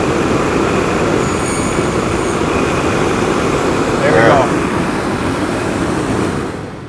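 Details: HVAC blower motor on a bench demo rig run on high speed through the blower switch: loud, steady rush of air and motor whir, spinning freely; normal blower operation on high.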